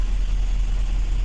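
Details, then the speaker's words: 2007 GMC Yukon XL V8 with a misfire on cylinders 1, 3, 5, 7: low, lumpy idle with uneven thumps breaking the rhythm. One bank dropping out, traced to broken wiring on the feed wire. "यह गाड़ी है योकन axle missing कर रहा है गाड़ी आप देख सकते हैं"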